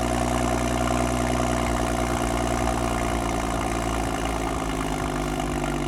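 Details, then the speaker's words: 2012 BMW F30 335i, N55 inline-six, RWD, on jack stands, first cold start after VRSF catless downpipe install: deep steady cold idle, even low drone, no puffing or ticking from exhaust; runs smoothly, normal cold idle. "But for now, I want to do the first startup, see how it sounds, cold start, and go from there. So let's see how it sounds."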